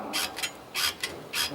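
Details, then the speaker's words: Opel/Chevrolet Astra suspension over a speed bump: dry scraping creaks in short bursts, about two per second, from the stabilizer bar rubbing in dried-out bushings; bushings replaced, noise gone. "esse barulho aí é o barulho do esfregando ali aquela a barra esfregando da ó na na buchele vamos trocar substituir"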